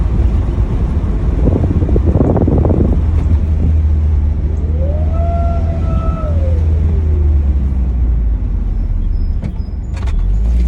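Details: 2007 Pontiac Solstice GXP: a clear whine rises in pitch under acceleration, then falls away, over engine and road rumble. Both belts were replaced and it still makes the sound.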